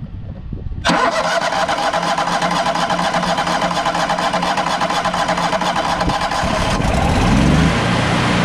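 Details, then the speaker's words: Trailblazer 325 EFI, sat too long and wouldn't start; after fuel system work and priming filters, catches right away and settles into steady even run, no misses or knocks; dark exhaust from bad gas; normal start and run. "all right so that did the trick hell yeah brother we got her so this is pretty exciting"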